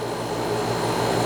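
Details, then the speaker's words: Fridgemaster 12300 BTU portable AC with conventional compressor, heard from about eight to ten feet: a steady low hum with a buzzy edge swelling near the end as it purges moisture during drain-free cycling. "right now it's purging moisture and so it does this weird buzzing humming sound"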